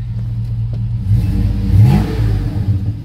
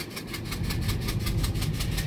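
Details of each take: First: GMC Yukon at salvage auction, revved: deep even exhaust note swelling cleanly through three blips, no knocks or misses; runs smooth with good oil pressure. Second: GMC Yukon SUV with a new water pump idling with a sharp, regular puffing tick, about six a second, from compression leaking out of a cylinder with a blown-out or removed spark plug, giving a dead miss.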